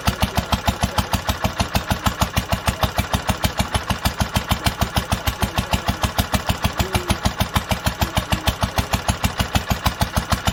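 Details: 1946 International Harvester LBB 3-5 hp water-cooled engine, first cold start after long storage under cover, choked twice then started; slow very even firing about two per second with crisp valve clatter, no misses or knocks: normal running.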